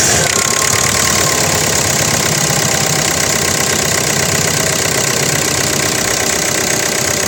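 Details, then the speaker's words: 2013 Hyundai Verna Fluidic diesel, clean engine bay with Amaron battery, idling with hood open: even, steady diesel clatter with a bright consistent tick, no misses or knocks; healthy normal idle. "Start ಮಾಡಿನೂ ಕೂಡ ತೋರಿಸ್ತಾ ಇದ್ದೀನಿ ನೋಡಿ friends. Engine ರನ್ನಿಂಗಲ್ಲಿದೆ."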